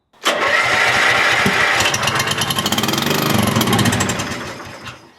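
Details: Cold start at about 3°C in damp weather, on choke, foot on brake: the engine catches and roars, then firing turns uneven and lumpy before fading. Rough running while cold.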